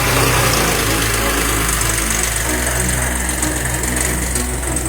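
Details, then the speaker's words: Mercedes-Benz S-Class M272 V6 after full engine overhaul and chassis refurbishment, idling after first restart: steady low note with even pulse, smooth idle, no knocks or rattles; warming up, normal. "行了，让热会儿车吧。OK，兄弟们看到吗？这台车啊，复活了啊！"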